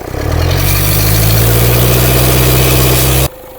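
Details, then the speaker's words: Diesel engine after severe overheat, oil around turbo and smoke, revved hard for about three seconds: heavy roar with rough hissing rush; turbocharger failure, noise isolated to a failed bearing. "Isolate muna natin yung ingay. Ito sira ito. Itong bearing na to sira yan ha."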